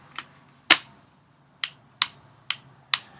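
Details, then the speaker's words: Ruger 10/22 with an out-of-the-box ProMag magazine: sharp metallic clicks at uneven intervals as a small piece on the magazine rubs in and out of the hex-head hole instead of locking, so the magazine won't stay seated. "is that little tiny piece um I'll get another one here this little piece up here is actually trying to go in that hex head hole but it can't so it's rubbing in and out rubbing in and out and that's why it's not staying"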